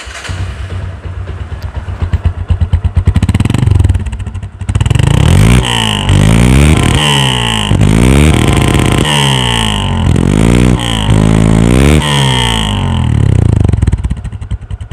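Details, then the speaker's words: Second-hand Discover 135 after full engine rebuild with original camshaft and valve guide work, silencer unmodified, not yet run in; revs rise and fall cleanly with a crisp, even exhaust beat and no knocking, expected smoother after tappet adjustment at 2,000–3,000 km; normal running. "বাইকটা free হয়ে গেলে আরও smooth sound হবে।"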